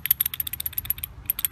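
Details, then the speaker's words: LG WM14220FD direct-drive washer's failed bearing, removed and spun by hand, gives rapid, gritty clicking and rattling, about a dozen clicks a second; it is rotten. "can hear the rattling in it. This is the side that was on the washing machine drum side."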